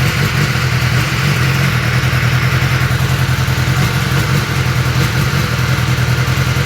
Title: 2021 s1000r misfire